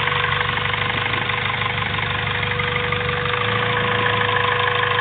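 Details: Honda Civic B16A2 turbo build (CP pistons 9:1, Eagle rods, Supertech valvetrain and retainers) at idle: light, uneven ticking knock about three per second over a constant whine; strange engine noise, cause unclear.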